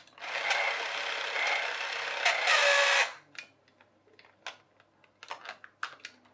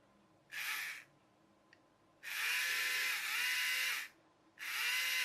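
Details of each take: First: Charity-shop toy electric train, reassembled gear train: the small motor buzzes for about three seconds, then cuts off abruptly, leaving scattered clicks. A split gear jumps out of mesh and jams the drive, giving only a quarter turn of the wheel. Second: Small motor from a disassembled charity-shop toy electric train, bench-tested for rotation direction via its brush contacts: three short bursts of high buzzing whine, each rising as it spins up, smooth and even. Motor runs freely.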